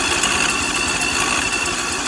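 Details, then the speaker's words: 22HP lawnmower engine left flooded with brackish water, freed with oil and WD40, first start with water coming from the exhaust while cranking. Catches fast and ragged with uneven popping and hiss, sputtering as it clears; rough first running. "So, she sputtered a couple times, blew a bunch of crap all over the place. So, I got to clean that up. But, uh, sounds like she's going to run, man."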